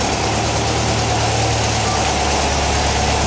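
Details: 1959 VW single cab pickup, after getting it running during restoration, warming up: steady, even idle, smooth low thrum, no misses or knocks; sounds good, normal idle.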